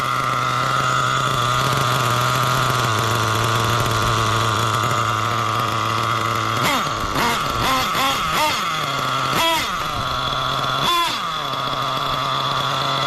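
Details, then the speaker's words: Nitro RC engine fitted with a carb not meant for it while tuning from scratch: a burbly, uneven idle that sags and stumbles, blips of revs, then dies with lots of smoke. The low-speed mixture is still too rich. "Oh, and she died. God. See, still super rich."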